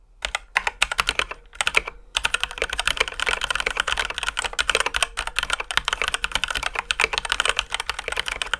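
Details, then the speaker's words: Ducky x HyperX One 2 Mini mechanical keyboard, stock before modding: fast typing with sharp high-pitched clacks on press and bottom-out, faint metallic ring; stock switches with a slight metallic ping. "originally the cue presses were quite high-pitched with a sharp top and bottom out sound keep in mind that the key caps also contribute to this bit too and there was also a bit of metallic ping before but that wasn't super audible"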